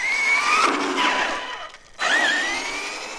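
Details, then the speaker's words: Arrma Kraton EXB 1/8 RC truck, second bash on new V5 straight-cut diff gears, at low-voltage cutoff: electric motor whine rises and falls with throttle, no grinding or clunking, though a few possible clicks on big jump landings; healthy differential. "i'm not hearing any diff noises so it sounds like it's still in good shape"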